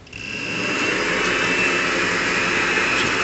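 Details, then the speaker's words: 1 hp mini lathe with change gears refitted, gear gap set with doubled paper: even running hum with a faint steady high whine, no clatter; runs quiet at 1900 RPM, above its 0–1500 RPM spec; healthy. "running pretty quiet running 1900 RPM and this says it's supposed to go zero to fifteen hundred so I got it to run 400 RPM faster than our specs it's all good"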